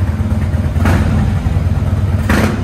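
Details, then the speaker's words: Engine that had been sitting, just restarted: deep, even idle rumble with two clean throttle blips that rise and settle smoothly; normal idle and revving. "that's crazy it sounds good that's wow this thing's been sitting dog"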